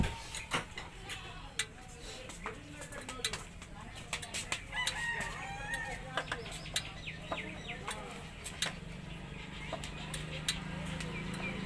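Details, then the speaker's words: Hero Splendor iSmart motorcycle, hot silencer after riding and shutdown: sharp irregular ticks and cracks from the exhaust while cooling, birds and rooster behind; normal exhaust ticking while cooling. "जब बाइक को हम बंद करते हैं तो यहाँ से cut cut जैसा आवाज़ आता है।"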